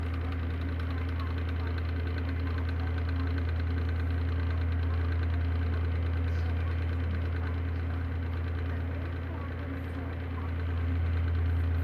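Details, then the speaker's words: Electric fan motor humming low and steady with a rough knock repeating almost four times a second; owner attributes it to bad bearings and plans to replace the fan. "so bad bearings eventually I'm going to get another one to replace this real soon"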